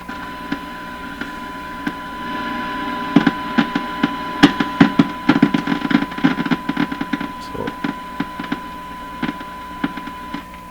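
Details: Hallicrafters TW2000 World Wide radio during IF transformer alignment, probed around capacitors near the volume control input: irregular sharp crackles and pops in bursts over a steady hum. Symptoms of a failing silver mica capacitor ("silver mica disease").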